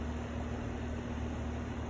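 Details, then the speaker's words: Brand-new outdoor HVAC unit running: steady low hum with soft fan rush, even and free of rattles or squeals; normal, well-functioning outdoor unit. "I think looks nice I think sounds nice now we know what a brand new well functioning unit looks like or sounds like"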